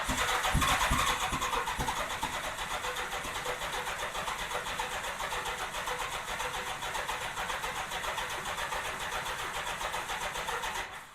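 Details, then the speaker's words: 1987 Honda GL1200 Goldwing, not started in years, new 24 Ah battery, starter drawing at most 7 A, fuel pump not working: steady whirring crank at about four beats a second with a few sharper early hits, no catch; owner unsure if the starter sounds normal. "But I don't know if that uh starter is supposed to sound like that. I think it probably is, but I really don't know."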